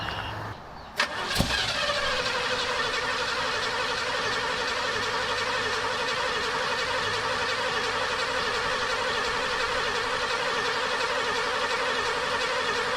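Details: 1968 Pontiac Superior ambulance V8 after new plugs, carb swap and fuel work: brief crank, sharp catch, then steady busy idle; reluctant start, cause not pinned down.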